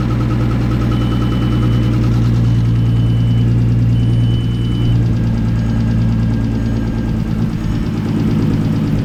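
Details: VW Mk4 Golf R32 3.2 VR6, first start after a rebuild and reinstallation: steady even idle with a smooth low drone and a faint high tone over it, with no knocks or rattles; it runs healthy.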